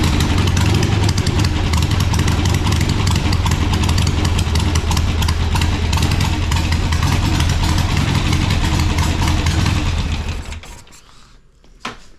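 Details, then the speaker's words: Harley-Davidson Sportster first start test: strong, loud V-twin lope at a steady rhythm with no knocking or rattles, then it shuts off. It sounds like a good motor, though the oil filter is destroyed and oil sprayed out of a hole. "but sounds like a good motor"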